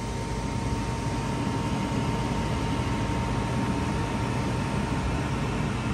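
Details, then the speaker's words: 2007 Heil gas furnace (3 burners, hot surface igniter) at startup: smooth airy rush with a steady thin whine as the draft inducer spins up normally, then the blower fan motor turns on. "nice startup from the draft inducer so the blower fan motor turns on"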